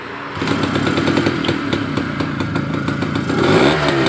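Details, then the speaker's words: Motorcycle with a 2T-oil exhaust that sputters, loses power and dies after a few kilometres of riding, started cold before ignition check: steady lumpy tick-over with no stumbles; normal cold idle. "Ternyata kalau udah oke Ada bisa melihat ya stasionernya juga enak tengkleng begitu"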